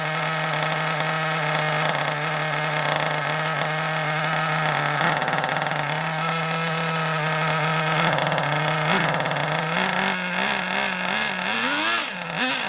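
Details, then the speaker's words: Kyosho Mini Inferno ST 09 nitro buggy just started with a starter box: steady high buzzing idle that drifts and sags at times; idle speed too low, to be turned up slightly. "Bit too low. Let's turn it up a little bit. It was a little bit too low. I was trying to get the tick over just right."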